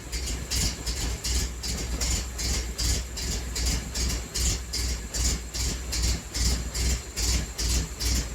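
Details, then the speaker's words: 1980 Triumph TR7 idling on a jack at an angle with the intake off: lumpy, uneven pulse about two beats a second with a heavy low thump; running rough, cause unclear, the angle suspected. "I don't know why it's running so rough."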